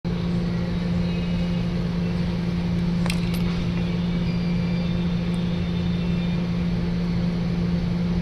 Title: check out bad capacitor smh